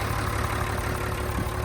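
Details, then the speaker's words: 1995 Mitsubishi Fuso FH100 truck, 5.0L turbo inline-6 diesel, 116,440 miles: steady, even low diesel rumble with a constant beat and no knocks or misses; healthy idle. "And here is that 5.0 liter inline 6 diesel engine. Mitsubishi engine. Sounds good."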